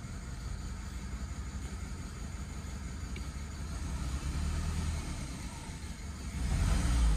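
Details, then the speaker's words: 2008 BMW E90 318 misfiring at idle; an actuation test that cuts out injector 2 makes the lumpy, uneven running clearly rougher. The faulty injector was then replaced with a used one. "if you do injector two switch it off then you have the rough running the misfire and if you stop that then the engine starts running quite well"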